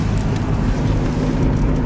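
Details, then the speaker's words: 2005 Honda Accord test drive after front wheel bearing replacement: even engine drone at moderate revs under light wind and road noise, no hum, grind or roar; revs were high in D3, sounds better after shifting to Drive. "Oh, if you guys heard the uh RPMs and thought they were a little high, they were. I had it in D3. I shift it up to drive and she sounds better."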